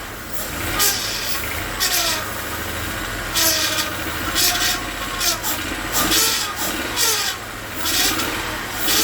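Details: Mazda RX-8 towed in with crank-no-start, running on gas plus acetone and fuel treatment cleaner: engine catches and keeps running at a low idle with irregular louder bursts; normal running now that fuel gets through.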